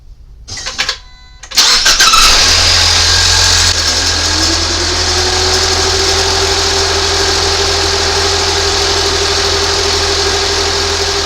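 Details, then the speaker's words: 2019 Ford Fusion 2.0 idling after alternator replacement and coolant refill: it starts quickly and settles into a steady, even idle with no rattle or knock, while spilled coolant burns off the belt; charging fine, no dashboard warnings. Normal idle. "All good. Some of the coolant on the belt right out pretty quick as you can tell. All is good. It runs a little bit now."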